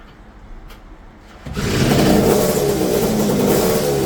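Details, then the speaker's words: Yamaha TZR250 two-stroke running on petrol while being mapped by ear, unmapped, after poor response on alcohol fuel: catches after a quiet start and holds a crisp, even buzz as it revs; responsive, running cleanly. "And it seems like it starts to behave quite good."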